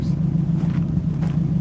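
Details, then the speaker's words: 1960 Ford Starliner with a 292 Y-block V8, heard at the rear, given a couple of light throttle blips before shutdown. Deep, even rumble with no knocks or misses. Normal idle and revs; the owner says it sounds good. "For just having a smalish engine, 292 Y block, it sounds good. That truck sounds a lot better. But they both sound great."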